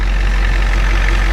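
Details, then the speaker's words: 1993 Ford E350/E450 box truck, 7.3 IDI diesel, about 230,000 km, started without issues after sitting a year: steady, even low idle clatter with no misses or knocks, no blow-by, no smoke; healthy normal idle. "This thing started, it sat for a year and it started without any issues. This thing, man, is a trooper. The engine sounds really good."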